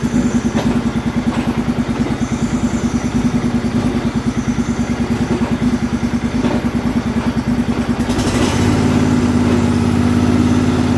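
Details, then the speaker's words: MTD riding tractor with a swapped-in known-running engine, jump-started: rough running at first that evens out later, with rapid chatter about three per second from a stuck idler pulley underneath. Stuck idler pulley chatter. "okay it didn't start off very good I was having some bad thoughts but it gradually got better there's definitely a stuck idler under there you can hear it chattering"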